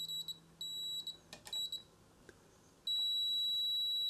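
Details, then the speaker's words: Philips 148 tube radio that stays deaf after new tubes: continuity tester beeps briefly while probing the capacitor sections, then a solid tone on the third section, showing a short to ground. "and look at that I've got a short on the third section of that capacitor now that would really kill it"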